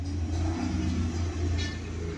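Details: Maruti Suzuki Alto three-cylinder petrol after the misfire repair (one of three cylinders was dead, P0301, ignition coil; blinking check light): revs smoothly with an even low rumble, only slight vibration.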